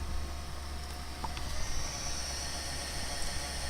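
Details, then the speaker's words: PowerBook G4 laptop during Mac OS X 10.5 install, checking install DVD: constant airy hiss with thin high whine over low hum, not the hard drive but the cooling fan; owner plans to oil it; noisy cooling fan. "listen to that it's not the hard drive that's the fan"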